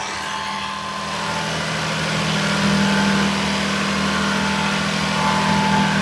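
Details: Daihatsu S210P mini truck engine after new OEM camshaft and phaser, first run in two years, 180 psi compression, alternator not running: revs rise smoothly and hold a strong, even note, no knocks or misses; healthy.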